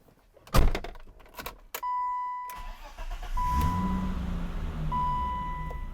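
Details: BMW engine after pulley, water pump and bracket removal and refit with a blue coolant refill: dash chimes, brief crank, clean catch, then a smooth steady idle with no knocks or rattles; normal start.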